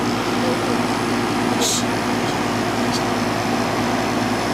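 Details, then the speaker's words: Goodman CPK42-1 outdoor unit from 2001, dirty and partly under an added roof with a beam against the condenser, apparently a heat pump with the heat pump function disabled: even steady fan and compressor rush, no rattles or squeals; normal running. "And it it it's running. You can see it it runs and it sounds"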